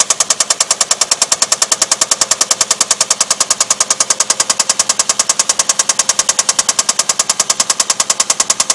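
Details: Infiniti VQ35DE V6 engine with sharp, evenly spaced metallic knocks a little over three per second, hammering steadily throughout: rod bearing knock from a spun rod bearing.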